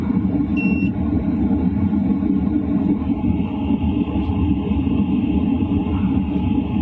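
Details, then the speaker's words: LF Bros diesel heater switched to 2.5 kW, heard inside a tent around 11 p.m.: a single beep, then constant low rumble with smooth fan and burner sound, about the same as at 2 kW; normal running. "And honestly, the noise is pretty much the same."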